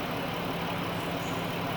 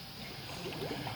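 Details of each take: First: Chrysler/Dodge minivan 3.6 Pentastar with radiator cap, idling hot after oil cooler reseal and new oil pressure sensor, while coolant is bled with a spill-free funnel. Upper hose is hot and another air bubble is purging. The electric cooling fan is running with a steady airy rush over a calm, even idle. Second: Chrysler/Dodge RT minivan 3.6 Pentastar with radiator cap, after oil cooler seal and oil pressure sensor replacement, warmed up and revved while bleeding coolant through a spill-free funnel: soft irregular gurgles and burps as trapped air bubbles out.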